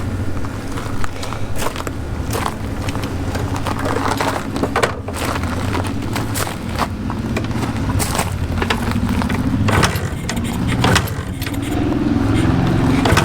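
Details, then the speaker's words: 1981 Suzuki TS 250 two-stroke enduro revived after sitting for years, choked on a 100° day: ragged, popping engine stumbles and surges and won't stay running; suspected fuel supply issue such as plugged pilot jet or stuck float, carburetor to be removed. "Okay, we're getting there. Sounds like a fuel supply issue. All right. So, it will run. It just won't stay running."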